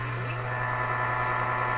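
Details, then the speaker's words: Canadian General Electric Model A55Z two-band radio at first power-up before refresh: low steady hum under hiss when tuned between stations, silent on station; normal, since sensitivity rises when there is no signal. "How come you can hear this noise in between, but you don't hear it when the station's in? That's because when you tune between stations, the radio's sensitivity will increase."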